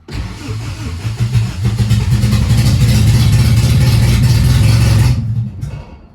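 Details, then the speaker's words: AWD B-series hatch on OEM ECU without distributor: cranks, catches, revs roughly about five seconds, then cuts out; owner suspects low fuel, pump sounding like it struggles with air. "yeah I don't know if it has enough feel or not but hey started I wanted to stay on though"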